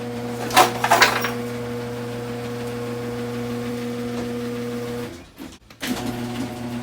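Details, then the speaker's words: Screw-drive garage door opener after lubricating rollers, brackets and screw with white lithium grease: a few light clunks, then smooth steady motor hum, no rattle or squeal; was a loud racket before, now almost silent. "i can't tell you what a major difference that made that made the garage door almost silent super super quiet it was a loud racket before"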